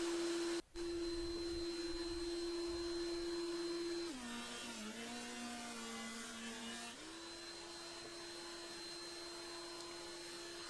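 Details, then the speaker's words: Carbatec TH-135X 330mm helical-head benchtop thicknesser on its second pass through gnarly-grained Oregon stock, with dust extraction attached. The quiet motor hum dips in pitch briefly under the cut, then recovers cleanly; normal cutting under load. "Have a listen to the increase in sound on the second pass, and you'll get an idea of how quiet this machine is. It doesn't go up much."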